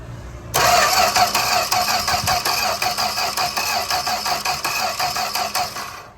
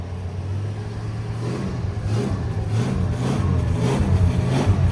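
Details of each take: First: 1965 Plymouth Barracuda slant six, parked since 1994, with gas poured in the carburetor: steady starter cranking at about three beats a second with no firing at all. Cranks but won't start. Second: 1965 Plymouth Barracuda slant six, parked since 1994, first run on temporary fuel: deep even rumble building smoothly with revs, no knocks or rattles, not smoking badly, won't idle on its own; engine sounds healthy.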